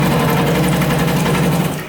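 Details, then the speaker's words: Noisy household tap running: loud, steady low buzzing judder through the pipes, caused by a loose tap washer. Fixable for free by dealing with the tap washer. "That noise right there is one of the most common ways that people get conned and scammed for thousands of dollars when you can literally fix it for free."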